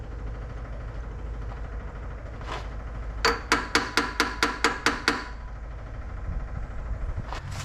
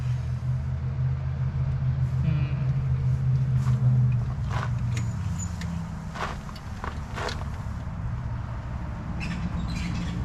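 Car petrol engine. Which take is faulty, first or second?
second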